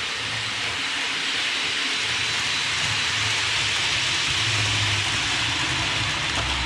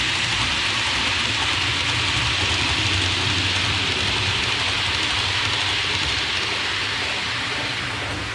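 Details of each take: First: Hornby APT model coaches after about two weeks' use, before cleaning: steady high hiss and squeal circling the track, traced to dirty wheels and copper pickup contacts; fix is cleaning wheels and contacts. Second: Hornby APT model train after cleaning the wheels and copper pickup contacts: soft steady rolling hiss with a faint regular rail-joint click, no wheel squeal; squeak fixed, one bogey still squeaks slightly.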